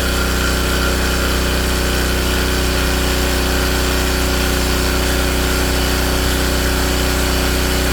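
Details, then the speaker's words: King Canada Powerforce 1500W generator just started after governor linkage readjustment: steady, even drone holding constant speed, governor now responding, no hunting or surging; running healthy. "A lot of good it's going And it's doing it, and it's responding this time."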